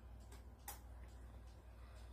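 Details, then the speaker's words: Howard Miller clock described as working, dusty, before oiling and cleaning: faint even ticking about two or three a second over low room hum; movement runs normally. "this is a howard miller clock and it does work and i don't know if you could hear the ticking but it's sticking"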